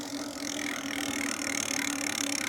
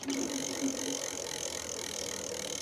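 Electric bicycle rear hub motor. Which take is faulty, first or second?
first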